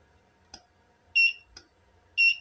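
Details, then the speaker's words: Golden Eagle L-300A studio flash after repair, tested at lowest power: two short high ready-buzzer beeps with faint clicks. The buzzer, previously dead, now works normally. "suaranya juga buzzernya udah nyala lagi tadinya nggak ada tanda-tanda kehidupan"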